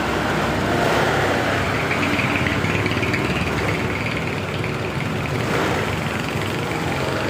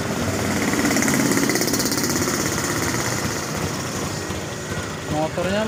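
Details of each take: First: Honda Beat LED Deluxe scooter that had died with stored DTC code 7. After clearing the DTC it idles evenly with gentle throttle blips and runs normally; a loose EOT sensor socket is suspected as the cause. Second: Honda Beat LED Deluxe scooter with a code 7 history, just started: a fast, choppy putter about three beats a second that stumbles unevenly when the throttle is first opened. The engine sputters.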